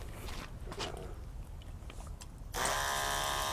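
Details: Portable 12-volt DC eBay pump (rated 9–14.4 V) feeding a DIY shower from a bucket: quiet hiss, then the pump kicks back on with a steady buzzing hum when the valve reopens and pressure drops, running evenly; normal operation.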